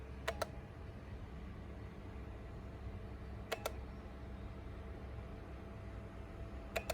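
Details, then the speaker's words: Jump starter pack connected to a Porsche Cayenne that won't crank, boost light on: paired sharp clicks about every three seconds over a faint hum as it feeds power; normal jump starter relay clicking during boost. "see how it's on now and it's trying you hear it clicking listen"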